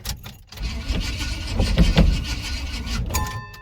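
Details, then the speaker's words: 1980 Chevrolet C10 Cheyenne after the starter had been grinding and too much gas was dumped down the carburetor: starter churns unevenly, about four beats a second, engine never catches; cranks but won't start, owner suspects flooding. "she might be flooded now shoot hm that's not good"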